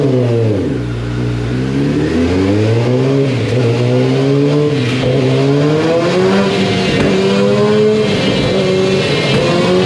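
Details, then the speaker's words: Warmed-up 2021 Kawasaki ZX-10R with Akrapovic full exhaust, baseline wide-open dyno pull before ECU flash: pitch climbs hard, then revs sag and stumble near the top around 12,000 rpm; stock ECU restricting power. "You can actually hear the bike restrict itself. In other words, let off the throttle even though I'm fully wide open. You'll hear it about 12,000 RPMs."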